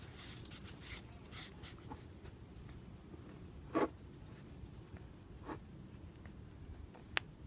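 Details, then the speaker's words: A new wheel hub bearing assembly is hand-spun on the bench, off the car, for comparison with a failed one. It stays quiet, with only a few scrapes as the part slides on the surface. "hear anything just when it slid on the surface but you don't hear it now"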